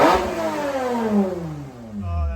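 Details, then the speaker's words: 1993 Toyota MR2 SW20 with swapped 2GR-FE V6, after fuel leak and tachometer fixes, warm: sharp rev sweeping down cleanly and settling into smooth even idle; normal engine revving. "it definitely reads a little high I mean insane it's just just under a thousand but that's not bad but the best part is the sound and the sweep"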